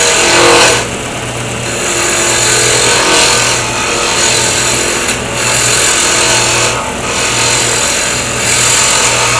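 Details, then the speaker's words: Woodturning a pen blank on a mandrel with bushings: a smooth even gouge hiss over a steady low hum, the sound change showing the blank is now round. "I can feel the bumping, I can hear it, and all of a sudden the sound has changed, and that gives me my first clue that it probably is round."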